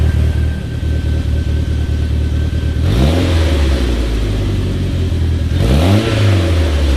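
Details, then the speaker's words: Mitsubishi Talon on E85, cold start after sitting two months, harder start than expected; steady low idle then two clean rev sweeps falling smoothly back to idle. Normal cold-start idle and revs. "Started up a little harder than I expected, but E85 and 2 months of sitting. It's nice to hear it again, though."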